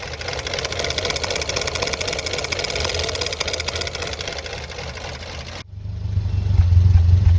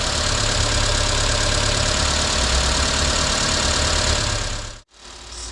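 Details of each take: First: 1990 Renault 5 1.4 CAT, C3J engine, monopoint injection, at operating temperature: heavy lumpy idle with uneven thumps, running on two or three cylinders and stalling; misfire from a faulty distributor cap. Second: 1990 Renault 5 1.4 CAT, C3J Monopoint engine, at operating temperature with the electric fan just switched on; steady, even warm idle with no misses, all cylinders firing. Its fault is bucking and three-cylinder running once warm, then stalling.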